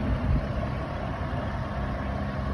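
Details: 2007 Saturn Aura after fixing an intermittent no-crank no-start that appeared once warm, traced by following wiring diagrams: smooth, steady idle with an even low hum, no stumbles or misses; running normally.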